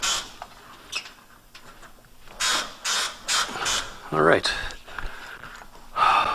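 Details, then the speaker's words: Pontiac GTO on the ground, front upper control arm polyurethane bushing probed with a stethoscope: irregular dry squeaks roughly every two seconds. Bushing squeaks from lack of grease; owner suspects all bushings need greasing. "front one on this side is definitely squeaking uh so yeah it's probably safe to assume that all of them probably need uh some kind of grease"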